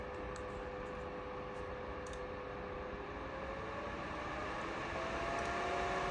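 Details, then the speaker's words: Razer Laptop Cooling Pad on performance mode under a 2022 Razer Blade 15 Advanced, Intel 12800, RTX 3070 Ti, while running a program under load: a steady, loud airy fan rush with faint tones rising slightly. Noticeable, not quiet, but normal. "You can really hear it going. And that's about what you can expect as far as the the noise goes. It's not quiet."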